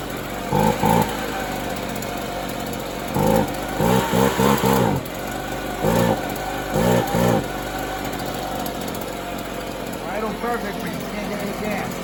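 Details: Free used two-stroke leaf blower that reportedly wouldn't run right, after fuel fitting/crush washer work, before high-speed screw adjustment: fires in short sputtering bursts with gaps, never settles; rough running.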